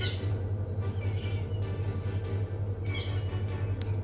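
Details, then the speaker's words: Hatari Slide Smart L1 18-inch fan running: steady motor hum with intermittent high chirping squeals from dry, worn motor bearings, not yet seized; fixed by replacing the two motor bearings. "ครับก็เสียงก็จะประมาณที่เปิดให้ชมไปเมื่อสักครู่นี้เลยนะนะครับซึ่งตอนเนี้ยนะครับมันก็จะมีเสียงเงี้ยดังตลอดเลยนะแต่ลูกปืนเนี่ยมันยังไม่ถึงกับตายนะนะครับ"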